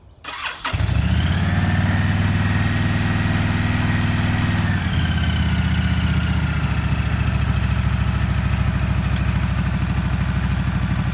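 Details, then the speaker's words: Honda VTX1300 V-twin after sitting nearly a decade, fuel system, tank, lines and carb cleaned, new spark plugs: brief crank, fires and holds even steady loping idle, no misses or knocks; normal start and idle. "That's the best part about firing them up. That first ride, everything runs good."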